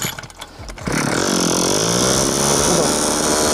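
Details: Two-stroke brushcutter with Kisan Kraft carburetor replacing Mitsubishi carburetor that died off choke, no cable fitted: after a few pulls catches and holds high steady buzz without dying or sputtering; running cleanly.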